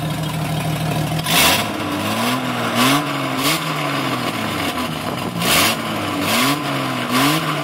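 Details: 1996 Jeep Cherokee Sport 4.0 inline-six blipped repeatedly, each rev bringing a loud raspy hiss from an exhaust leak at the broken Y pipe, which worsened over six months; the engine also has a misfire.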